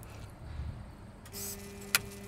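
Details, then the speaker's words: Normal clicking of an AgXcel GX12i injection pump as the system and injection valve switch on and liquid starts to flow: low hum rising to a steady drone, then a sharp click as the chamber drops and suction draws up chemical. "you listen to this there's a clicking noise that chamber is dropping down makes a clicking noise makes that suction pulls up your your chemical"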